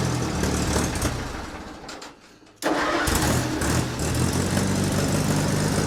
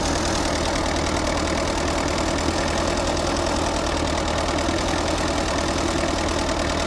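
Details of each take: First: Allis-Chalmers C tractor, first cold start of the year, parked nose up: cranking dies away, then after a pause engine catches into lumpy idle once given a little choke, though it usually needs none; hard cold start. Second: Allis-Chalmers C tractor with a Woods L59 belly mower at its first start of the year. The idle is dense and steady with no knocks or stumbles; it runs smoothly.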